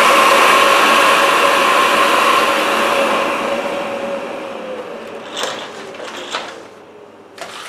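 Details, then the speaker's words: 1980s Philips vacuum at full power, heard for comparison with a Shark canister vacuum: an even airy rush with a steady high whine falls smoothly in pitch as the motor coasts down, fairly quiet; normal vacuum motor running. "So yes, and well, just a reminder, this is Philips sound compared to the Shark sound. So Philips on the full power."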